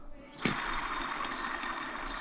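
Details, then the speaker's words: Vauxhall Corsa D VXR front hub removed, spun by hand: harsh gritty whir with rapid ticking continuing as it coasts; bearing badly worn, hub replaced. "so yeah if you're bearing sound if you your hub sounds like when you spin it your bearing is absolutely knackered"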